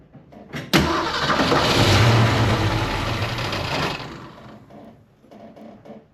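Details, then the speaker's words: 1968 Ford Mustang 302 V8, after installing Pertronix Flame Thrower distributor, coil and Moroso plug wires, timing close: short crank, quick catch, strong even rumble settling into steady idle; normal start and idle. "It sounds like it's idling happy."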